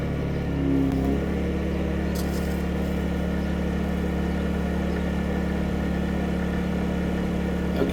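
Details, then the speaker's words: Honda 2000 inverter generator starting a camper's Dometic Evolution 15,000 BTU air conditioner fitted with a MicroAir Easy Start: drone deepens slightly (slight ramp up, light didn't flicker) as the AC kicks in, then holds even; normal load pickup. "so there was the slight ramp up. I didn't see the light flicker. So, that is a Dometic evolution 15,000 BTU on our Honda 2000. Not bad."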